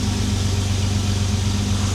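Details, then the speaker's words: Jaguar XJ6 after a head gasket replacement and camshaft retiming, warming up as the choke turns off. An even, smooth low idle with no misses, where it usually misses a tiny bit. Finding: normal idle. "It's never been like this smooth at idle. Choke starting to turn off now. That's very, very smooth. usually sometimes misses a tiny bit."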